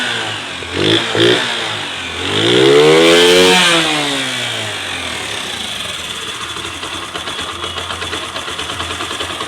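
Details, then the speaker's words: Honda CD 80cc motorcycle just after full engine rebuild and refitting, with tappet clearance set and fresh engine oil: catches and revs cleanly in smooth blips, then settles to an even steady idle, no knocks or rattles; normal running. "তো এই ছিল বাইকের sound. তো এই বাইকগুলো আসলে যদি ভালো করে কাজ করা যায় সেক্ষেত্রে, ভালো করে বলতে বুঝে শুনে কাজ করলে সাউন্ড ভালো হয় এবং পারফরমেন্সও ভালো হয়।"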